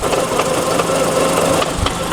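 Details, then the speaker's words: Mazda RX-7 FC transmission, heard from under the car at a touch of throttle: irregular metallic clanks, about three a second, over a light engine hum; gearbox fault suspected, not confirmed, transmission to be dropped. "so that's the noise that he's talking about that clang-clang are you hear it you hear it"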